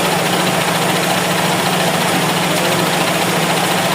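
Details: GLI 4A-FE with severe idle problem: loud, uneven, shaky idle drone with low buzz that never settles; rough idle, cause not yet found.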